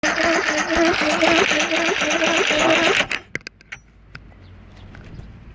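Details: Johnson V4 115hp outboard that won't start: the starter turns the engine over at a steady two beats a second for about three seconds, then stops, and it never catches.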